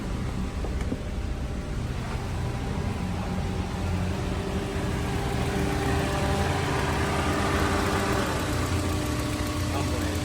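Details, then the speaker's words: Honda S2000 warmed up with coolant at about 205–208°F, idling while the cooling system is bled. The radiator fans kick on with a steady, quiet rush over an even engine note; normal, efficient fan operation. "pretty quick. Very efficient fans. Very quiet fans, too."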